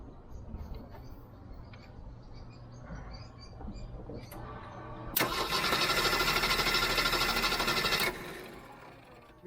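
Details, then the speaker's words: Jeep 4.0L straight-six cranked by a portable jump starter, distributor unplugged: about three seconds of strong, even, fast cranking with no drag or hesitation; normal cranking. "no problems at all no problems at all this would start this vehicle multiple times without any issues"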